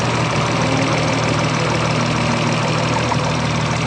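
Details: Steady idle with a faint, regular tapping about three knocks a second riding over it; owner suspects rod knock, not confirmed.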